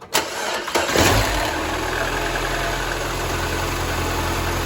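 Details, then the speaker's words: 2012 Mini Cooper started right after replacing the ignition coils, engine cover still off: short crank, quick catch, then a smooth even idle with no stumble or misfire; running healthy. "Sounds pretty good. We'll take it for a test ride here in a little bit."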